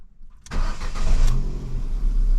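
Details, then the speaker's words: Ford Fiesta 1.25 Zetec with prior misfire, after new spark plugs and HT leads fitted: cranks, catches quickly and settles to smooth steady idle, no misfire; normal start-up and idle. "oh straight away we ain't got to missfire I mean we ain't got to missfire let's give her a little rev"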